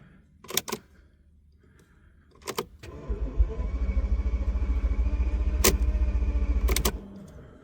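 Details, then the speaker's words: Flood-damaged Bentley with a cloned replacement immobilizer module fitted, batteries reconnected; starter churns the engine steadily about four seconds without catching, then stops. Cranks but won't start, cause unknown. "well the car's cranking that's great news but what in the heck would it not be starting for"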